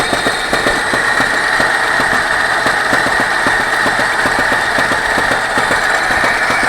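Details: "24D" engine at steady idle, with a dry, fairly loose tapping about two or three times a second. Engine knock of undetermined origin.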